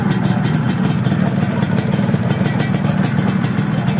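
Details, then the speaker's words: Yamaha F1ZR two-stroke at idle after fixing the weak compression caused by a corroded, leaking cylinder head: a crisp, even idle with a steady popping beat, no stumbles or misses, and no longer shaking. "n kita coba hidupan dan alhamdulillah bisa langsam bisa stasioner engak gorang seperti tadi ya dan penyebabnya adalah Fer head yang kopos dan bosor"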